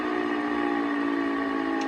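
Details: Pfeiffer TMU-1001P turbomolecular pump running, steady high whistle at constant pitch; owner suspects bad bearing, not confirmed.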